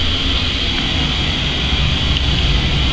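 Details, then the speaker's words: Oil-fired boiler/hot water heater coming on after zone four wires reconnected: steady roaring rush with low rumble underneath, no puffing or surging; burner lit and firing normally. "and I heard it just kick on once I put the second one in and you can probably hear the furnace coming on"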